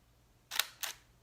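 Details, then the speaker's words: Nikon D750 DSLR in Q (quiet) shutter mode: two crisp mechanical clacks about a quarter second apart, mirror up then down, still pretty loud with no obvious difference from the regular shutter; normal shutter and mirror sound. "That's quiet shutter on the D750. This is quiet continuous. That's the quiet shutter. I don't know about you, but I still heard it. Still pretty loud."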